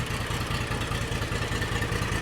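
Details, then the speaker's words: John Deere X300 series lawn tractor twin, after crank-no-start diagnosis and flooding with gasoline, running without choke: steady even idle, spark confirmed on both cylinders; normal idle. "I'm going to go ahead and I'm just going to let it idle. I'm not going to put the choke on. I'll just crank it over."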